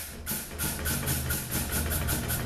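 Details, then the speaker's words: 2018 Chevy Colorado RWD 6L50 transmission being rebuilt on the bench for slipping and flaring shifts, clutch pack air check: sharp hissing bursts, each with a firm thump as the clutch applies and holds; pack sealing properly. "okay that's what you want it to sound like"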